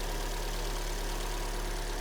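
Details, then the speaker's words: Kia Sportage 3, G4NA petrol engine, 147 mileage: first start after oil and antifreeze are vacuum-filled and the chain and hydraulic lifters fill with oil. Owner reported a cold knock, quiet when warm, and oil consumption. Quiet, even idle hum with no ticking or knocking; normal idle. "Запускаем сейчас. Цепь наполнилась маслом. Гидрики. Смотрим те, слушаем."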